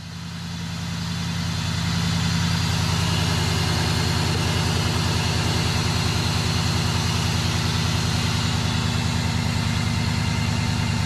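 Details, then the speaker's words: 2001 Cadillac after starter replacement and other repairs: low, steady, even idle rumble without misses or knocks; engine idles smoothly and sounds healthy. "go biggie come on baby sounds good all right see i've got the power oh good sounds good it feels good"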